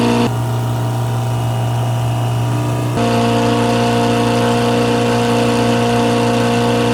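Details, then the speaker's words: Old Grove crane diesel, unused for over 10 years, just started and stuck wide open: constant high strained drone that never drops to idle. It was shut down by the bucket method. Owner plans to control idle manually. "Woo! Well, it runs. It is kind of wide open. Had to use the old bucket shutdown method."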